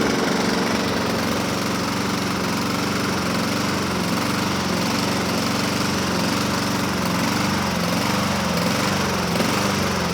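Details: 2007 Honda HRR2162SDA Quadra Cut mower after fixing stuck-open intake valve, started on choke: drone rises and falls roughly once a second; surging, owner may clean carburetor again after water found in fuel tank.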